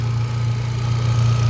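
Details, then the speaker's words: Hyundai Accent gasoline, after a cranking-no-start and swapping the fuel pump relay with the horn relay: steady smooth low idle with even beat, no misses or knocks; engine running normally. "Ayon goods naman. Walang palyado. Okay naman yung makina."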